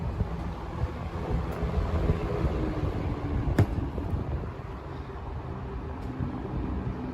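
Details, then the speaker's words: 1970s Lakewood K-Mart K-223 box fan, about 50 years old, running on high: even rush of air with soft low hum, quiet apart from air noise, no rattle or scrape; normal operation. "Boy, she's quiet too, other than the air noise, which you want. You want a fan."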